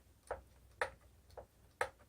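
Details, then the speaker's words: Kirby G3 vacuum transmission after bias adjustment and torquing: five crisp single clicks with no rattle; the shift mechanism centers and springs back cleanly with no side-to-side looseness; normal. "it's got good centering movement it's got good spring back it doesn't make a racket and it is not loose at all side to side not even the tiniest bit and that is where you want it"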